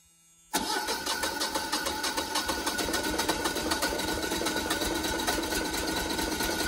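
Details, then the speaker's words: First-ever start of a newly installed Generac 24kW standby generator: the engine turns over with steady rhythmic pulses for several seconds without settling into a clean idle, a long crank the owner suspects is due to air in the fuel lines. "of course it's never run before so there's probably air in the lines it's probably going to take a little while"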